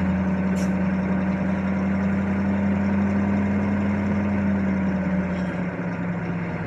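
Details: 1982 Chevy Blazer 6.2 diesel just after a cold start at about 20°F, about 40 psi oil pressure, charging fine: steady, even idle with a low drone, no knocks, misses or hunting; normal diesel idle.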